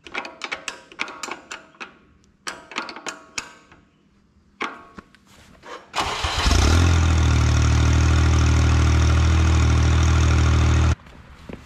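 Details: Ventrac 4500Z after replacing the igniter coils, spark plugs and igniter box for a cylinder #1 loss of power: starter clicks, then the engine fires and holds a steady, even idle about five seconds with no stumble. Normal idle after repair.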